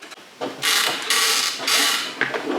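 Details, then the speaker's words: Phoenix 2400 FPV plane, new build, rudder driven by servo tester right after fitting the horn and linkage: short bursts of dry creaking and scraping with each swing; stiff new control surface hinges creaking. "you can hear the creaking. Really do hope that settles down, because that's going to annoy me."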